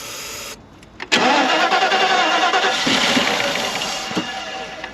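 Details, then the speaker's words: 1992 Mercedes-Benz 400SE/S420 V8, junkyard battery, spark confirmed, starter fluid used: steady whirring cranking that never catches; suspected fuel issue needing new fuel filter or fresh gas; crank no start, fuel starvation. "so I think we might need to just get a new fuel filter for or maybe get some fresh gas in the tank and [Music] it's just a fuel issue"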